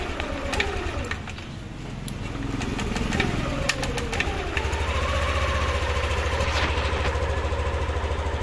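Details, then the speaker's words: Yamaha Aerox version 2 scooter with weak battery, fuel pressure 34 psi (fine): uneven, slightly hunting idle with clicks, stalls when throttle applied; suspected dirty or clogged fuel injector, checked next. "So try ko lagyan ng throttle yan namamatay Okay so ngayon check naman natin yung kanyang injector kung nlabas ng gasolina kaseng k yung injector niya is madumi na or Barado na"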